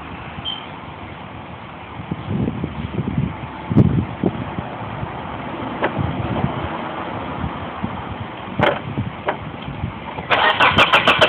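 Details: 1995 Mitsubishi Eclipse: starter churns the engine over at roughly three to four beats a second but it never catches; cranks with no start, cause unknown.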